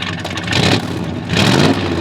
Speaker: uh-oh it does have that good V8 Rumble originally this had about 300 horsepower and it's got dual exhaust